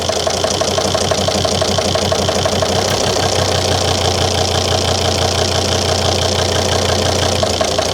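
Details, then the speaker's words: 2003 Volvo XC90 D5 diesel with injector 4 unplugged at idle: uneven lumpy beat about ninety a minute, unchanged from the misfire, unlike other injectors; cylinder 4 injector appears not to deliver any fuel. "Yeah, disconnecting injector 4 makes no difference at all to that idle problem. Whereas if I disconnect any of the others, the idle changes."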